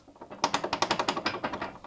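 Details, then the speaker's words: Garage door roller spinning without its worn sleeve, after two years: sharp metallic clicking about ten a second; fitting a new roller sleeve leaves it very muffled. "Those are the little details that you want to pay attention on. what's creating your garage door to rattle and make all that noise."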